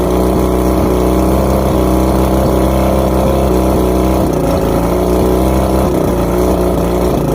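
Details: Outboard after plugs checked, fuel pump and carbs rebuilt, trigger loosened, spark confirmed on all cylinders: loud idle that stumbles unevenly, with short chirps about once a second; rough running, cause unknown.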